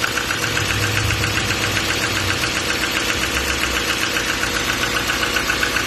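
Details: 2014 6.6L Duramax diesel at idle: a sharp, regular knock about two and a half per second rides over the diesel clatter, suggesting an internal engine knock. Cause suspected, not confirmed.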